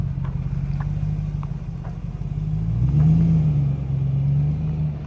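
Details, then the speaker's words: Lexus GX470 V8 after swapping the low-clearance OEM exhaust for a Magnaflow overland exhaust: deep, smooth, clean burble that swells with a gentle rev and settles, with no rasp or leaks. A clicking from the front is also noted. Healthy exhaust note. "sounds that thing sounds ridiculously good we got to swap you got to hear it sounds really really clean"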